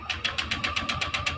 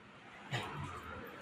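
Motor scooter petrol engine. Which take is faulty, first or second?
first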